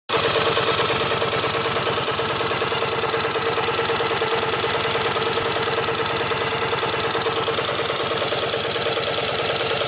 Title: 1983 XV750K Virago idling to demonstrate rattling noise.